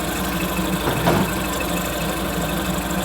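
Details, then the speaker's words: 9.9 hp Mercury outboard after replacing an old, aged fuel line that was sucking air: steady even idle with a smooth low hum, no misses or knocks; running cleanly. "yeah it's running good i don't see any problem with this full well he'll be happy to hear that"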